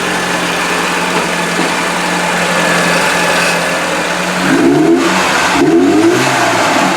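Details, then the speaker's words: Merkur XR4TI, 95,000 miles, revived after five years sitting (it died when hot) by setting ignition timing; smooth steady idle then two quick clean revs, no stumble, popping or pinging; runs much better, extended test drive pending. "take it for extended test drive but it seems a lot better than it was"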